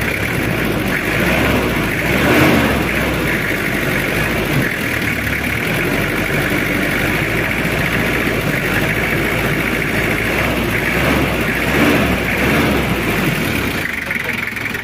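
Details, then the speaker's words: Diesel engine of a recently bought car at idle: faint quick metallic chatter over the clatter; valve tappets have loosened because of valve setting and thinning valves, causing valve tappet rattle. "kendalanya di P klep udah mulai kendor jadi ada bunyi kemericik kendornya P klep itu karena setting dan klepnya udah mulai tipis ya Lur"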